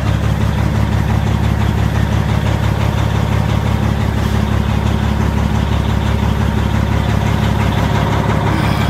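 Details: 2005 Peterbilt 379 EXHD diesel truck, push-button start with clutch pressed: deep steady diesel rumble settling into an even idle right after starting, no knocks or misses; sounds healthy.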